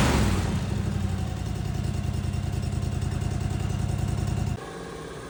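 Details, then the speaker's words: Snapper zero-turn mower after basic rewiring bypassing safety switches, running without air filter: steady, even beat, no misses or knocks, may idle low or hunt slightly from extra airflow; running smoothly until shut off. "It may run a little low. It may hunt a little bit because I ain't got an air filter on it, the airflow, with it getting that much air. But she's purring like a kitten."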